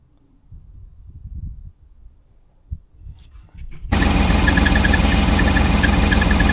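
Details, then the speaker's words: 1989 Range Rover Vogue SE with a seized alternator and shredded belt: the running engine gives a steady high squeal over an even drone as the alternator belt slips and overheats. The EFI warning light is on and the voltage is low. "Um and also we got the EFI warning light on and that belt is just absolutely because the belt is slipping."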